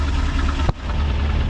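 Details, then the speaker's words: 1972 Ford F100 FE 360 V8 after replacing clogged inline fuel filter and tapping carb to free sticking needle and seat; deep steady idle, even low beat, one brief bump, otherwise smooth — normal idle after fix. "dude that sounds awesome uh the needle and seat were getting stuck just a little bit I just took my wrench and tapped on the top a little bit now it's just fing like a kitten"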